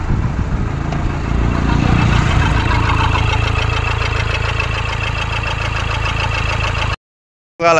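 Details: 2013 Toyota Hilux 1KD diesel, 171 hp, after a new original number 4 injector was fitted: it catches quickly and settles into an even diesel clatter at idle with no misses or stumbles. Normal before warming up; injector 3 later faulted.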